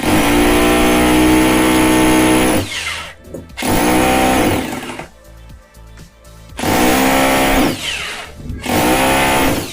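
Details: 26mm hammer drill after repair of a no-hammering fault, tested on stone: three bursts of strong, even hammering with a steady motor whine, each about two seconds. It hammers properly.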